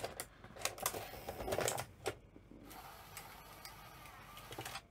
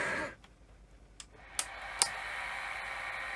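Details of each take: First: Sony SL-C9 Betamax VCR being powered up: quiet motor whir with light, crisp clicks as the cassette loading mechanism cycles, moving smoothly without grinding. Loading works normally, though play then gives no picture. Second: Sony SL-C9 Betamax powering up after being jammed: a few sharp relay clicks, then a thin steady hiss-like whir rises and holds as the head drum spins up. The drum runs rough, with badly worn bearings that may need changing; the coils may be bad.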